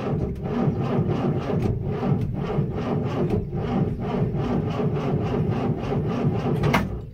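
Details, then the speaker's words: Land Rover Series IIa with a mechanical fuel pump on a cold day, ignition on and choke out slightly: steady cranking at about three pulses a second that never catches. It cranks but won't start. Owner suspects a dodgy circuit to the coil. "And basically the symptoms are, oh my goodness, the symptoms are it's bloody cold today. I'm working one-handed, as is usual. Ignition on, choke out a smidge, crank engine."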